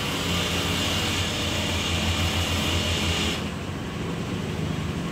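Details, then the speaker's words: Honda Click 125 scooter that cranked but would not start, after replacing the faulty ignition coil: engine catches on one press and settles into a steady, even putter. "paandarin muna natin kung nagana na okay one click"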